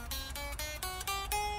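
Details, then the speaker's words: Fender 60s Road Worn Stratocaster after truss rod tightened, relief about 0.004 in at 17th fret, played low on neck: choked, thin chords with dry buzz; fret buzz from too little neck relief, needs loosening. "I can hear that it's all choked and fretting out down there, I think we tightened a little too much."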